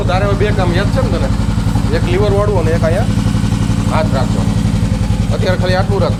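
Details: Royal Enfield Himalayan single-cylinder after its dead battery was jump-started with wires from an old Bullet (a recurring problem): even, steady idle thump under music with no misses or knocks; a healthy idle.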